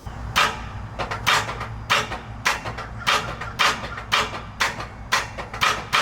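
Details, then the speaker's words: Early Ford Bronco starter that sometimes works and other times just clicks over: sharp clicks about twice a second with no cranking. Starter to be replaced with a new one. "Yeah, so sometimes it works great, other times it just clicks over, and we aren't ones to constantly be dealing with silly issues like that."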